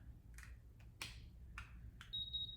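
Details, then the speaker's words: Hiipoo mini heat press being switched on: a few handling clicks then one short high-pitched beep about half a second long; normal power-up. "okay. So when you turn it on, you just heard that little beep."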